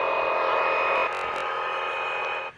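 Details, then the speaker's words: CB radio on an A-frequency channel during rain: steady raspy buzzing hiss with a constant tone that cuts off abruptly. Unknown interference; owner suspects the transformer out front, which sparks when it rains. "Well, here's another weird new sound on my radios here. Don't know where it's coming from. Might be the transformer out front because it's raining, and every time it rains, it starts sparking and everything."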